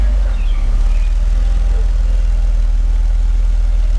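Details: 1990 Mercedes-Benz 300E sedan, long-stored non-runner, filmed under the hood after repairs: deep, even low rumble with a steady pulse and no misses or knocks; smooth, healthy idle.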